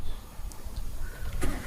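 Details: Fuel-injected car after an EFI fault repair, MIL blink code back to normal: short crank, then the engine catches and settles into a steady, even idle around 1200 rpm with no misses; a clean, healthy start.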